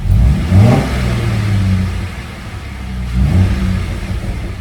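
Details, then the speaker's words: Jeep after removing a fallen bolt that held the cylinder #3 intake valve open: two clean throttle blips return to a smooth, steady idle with no misses or knocks. Normal idle and revving after the repair. "Sounds so good. Sounds so good."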